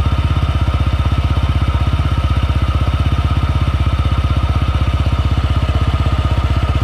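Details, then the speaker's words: Honda PCX 160 scooter idling on a morning cold start: noisy, ugly faint raspy scraping from the CVT belt-drive side, caused by loose variator slider pieces. "Pangit yung tunog niya ganito yung tunog niya Kapag pinapaandar ko siya ng umaga so maingay dito"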